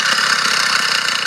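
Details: Motorized bicycle two-stroke engine at idle, otherwise running fine and strong: a steady idle with a fast metallic rattle on top, something loose inside the engine; the source can't be pinned down.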